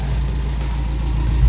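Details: Toyota Corolla KE55 4K-C after a successful first start, warm, with missing vacuum lines refitted and no leaks. Smooth, even low rumble at a settled idle with no knocks, misses or hunting.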